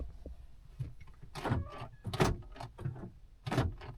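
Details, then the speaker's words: 2010 Honda Odyssey with a door lock that won't lock: the rear door lock actuators cycle with a few crisp, firm, quick thunks and are working properly. "and the ones in the back are working just fine."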